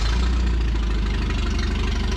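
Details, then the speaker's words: 1974 Datsun 620 pickup revived after 45 years, carburetor cleaned and tuned with delete kit, valves full of crud, alternator not charging: steady, even low idle with light patter, no knocks or misses; runs smoothly. "Whoever carb swabbed that baby and tuned in that carburetor with the little delete kit must have done a pretty damn good job."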